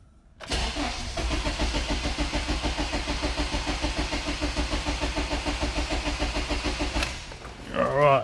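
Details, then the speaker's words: 2007 Honda CR-V 2.4L petrol with power loss and hard starting: starter churns evenly for about six seconds without firing; fuel flow gauge shows little delivery, suspected blocked fuel filter or weak fuel pump. "pressure and still the flow balls right at the bottom so clearly we've got not much coming through obviously looks like we've either got a blocked fuel filter or a poor fuel pump"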